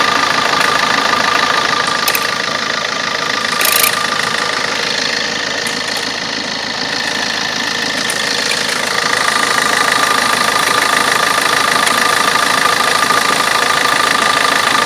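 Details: Opel Corsa D 1.3 diesel at idle: even idle with a light, regular tick around three per second running through it; an unexplained clicking noise at idle.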